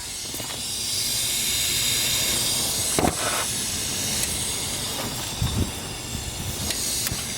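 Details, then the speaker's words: Dodge Caliber SRT-4 turbo intake pressurised with homemade boost leak tester and portable air tank: strong continuous hiss with a few thumps, pressure falling to zero; leak suspected near throttle body, not confirmed. "I hear something. So it sounds like it's coming from my throttle body"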